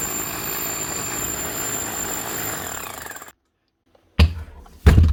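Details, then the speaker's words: Hammer drill reported by its customer as not hammering properly, after servicing and regreasing: steady, even hammering buzz, then wind-down and stop. It now runs smoother. "That's her. That's a lot better."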